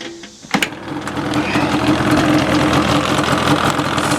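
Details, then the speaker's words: 2002 Yamaha Banshee 350 two-stroke, after start: fast idle with a coarse rattly grumble, about four beats a second; owner unsure, wonders if it is a bearing, also white or blue smoke, spark plug swapped, grumbling engine noise. "on the camera you hear like that I don't that supposed to sound like that like grumbling the type of noise in there"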